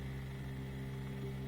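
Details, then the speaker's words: New Bosch Ascenta dishwasher, first-start self-check testing circulation and drain motors: steady low hum with level whir as the drain motor speed picks up; normal drain pump run. "So it's just testing out the circulation motor, testing out the drain motor. It does this little check before it really starts up a cycle. It does makes a lot of different noises."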